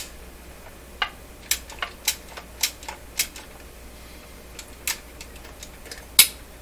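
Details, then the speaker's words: Telefunken Salzburg 5094W console record player, automatic changer turned by hand after freeing the big gear wheel: sharp dry clicks in uneven bursts, about two a second then gaps; mechanism catching and skipping, cause unclear. "yikes i don't like that sound sounds like a deer skipping eh"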